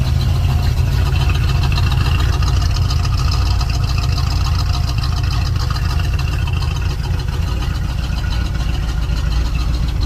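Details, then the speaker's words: 1972 GMC/Chevrolet Suburban Highlander, numbers-matching 350 V8 and 350 automatic, revived after 8 years parked, new fuel tank, water pump, thermostat, battery: deep steady V8 burble at idle just after start, no misses or knocks; healthy. "she'll sit here and idle all day long you let it"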